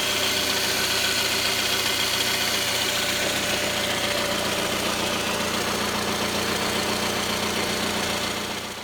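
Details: 2009 Toyota Vellfire 24Z ANH25W, 2AZ-FE, 142,078 km, idling; steady light knock three to four a second, unchanged after timing chain replacement, oil pump fine, gone with balance shaft removed: balance shaft knock.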